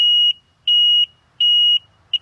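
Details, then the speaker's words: 2001 Sea-Doo GTI LE RFI two-stroke: pressing start gives only a run of high electronic beeps, four fast ones, and no cranking. The gauge alternates between maintenance and high temp; the owner suspects the computer, unconfirmed. "one two three four hit the starter and we got nothing happening here but obviously if I take a screwdriver so I'm not sure what's going on here but probably the computer most likely because it keeps bouncing between maintenance and um high temp"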